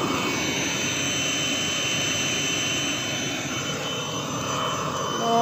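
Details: Webasto Thermo Top Z/C-D diesel water heater bench test heating about 10 litres of water, hot within about 7 minutes: steady, even rushing roar with no surging, popping or misfire; burner lighting and running cleanly.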